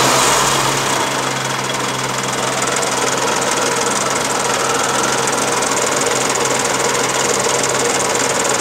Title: Charade 85 Strange noise